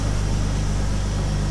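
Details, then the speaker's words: 2000 BMW E46 with M52TU engine, after a P0340 code and fitting an intake cam sensor taken from a parts car, with codes reset. A steady, even idle with a smooth low hum and no misses, knocks or hunting: normal idle. "Okay, so we're back up and running here. Everything seems to be good."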